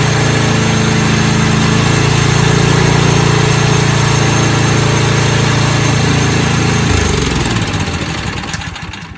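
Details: Snowblower small single-cylinder engine after fuel system and carburetor repair for no-start, choke in middle: steady even putter about four beats a second, then shut off and coasts down; normal running.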